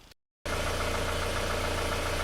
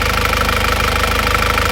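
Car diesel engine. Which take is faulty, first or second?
first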